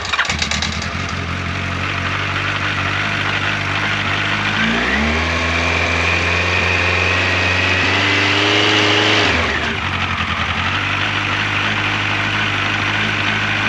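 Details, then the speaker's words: 1986 Yamaha FJ1200 four-cylinder with carburetors, first start in years after restoration work, choke full on and cold. It catches, revs briefly, then settles to an even fast choke idle with no scary mechanical noises. Normal. "I am so glad that this bike fired up, that I was able to get it running. Uh, the engine sounds good. I don't hear any scary noises from the motor."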